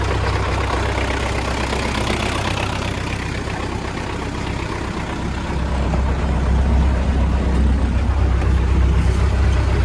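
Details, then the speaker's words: MTZ-80 tractor diesel, first start since November after winter, warm water added, poor compression: low idle with a steady knock about four times a second when the PTO is disengaged, gone when engaged; PTO stopped working at season end, knocking in gearbox. "щось дуже сильно калатає коли виключаю вал відбора чути якийсь звук цікавий звук дуже цікавий"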